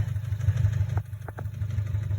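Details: 2017 Subaru STI, 38,000 miles, Cobb accessport, intake and axle-back exhaust, idling: throbbing uneven boxer idle with sharp clacks; owner suspects rod knock, planning to drop the oil pan.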